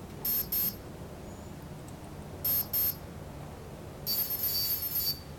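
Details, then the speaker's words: Align T-Rex 500 BEC speed controller in setup mode, high-pitched paired beeps then a steady tone, cycling to the second menu item, timing set to mid. "second you hear both two beeps is going to be mid timing so I'm going to set that in the middle"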